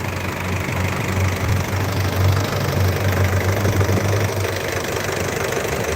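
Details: 2014 Isuzu D-Max 2.5 Z VGS cab pickup diesel, 70,000 km, first cold start of the day: even diesel clatter at idle with steady rhythm, no misses, hunting or knocks, no smoke or vapour; normal healthy idle.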